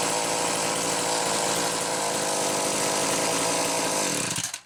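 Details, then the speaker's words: McCulloch Power Mac 320 chainsaw with original auto-sharp system, test run after the pulse hose was found off and fixed: holds a high, steady buzzing rev for several seconds, then drops cleanly off; normal running. "so anyhow there you go a good running power back 320 with the original auto sharp"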